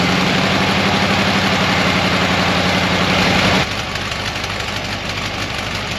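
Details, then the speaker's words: 1968 camper bus engine after stuck valve freed and new pushrod fitted, started on charger boost: steady low chugging at fast idle with uneven beat, then drops off; rough, smells gassy, owner suspects rich carburetor or old points. "i mean i adjusted them they seemed to fire okay smells a little gassy we've got too much fuel maybe we need to adjust on the carburetor"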